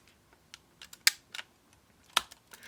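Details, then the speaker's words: Yashica Electro 35 rangefinder film advance: a few crisp light clicks, then one firm clunk as the lever winds on; that clunk is healthy, its absence would signal a fault. "that clunk if you don't hear that clunk then something wrong with the camera that clunk is healthy"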